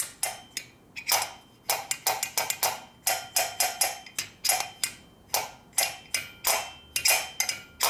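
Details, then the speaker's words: 1965 Harley panhead 74ci FLH engine rebuild, cylinder head off the bike, valves worked by hand: sharp metallic ticks in quick irregular pairs as the valves hit each other, showing valve-to-valve interference. "I'm having valve-to-valve interference issues here. You hear them hitting each other."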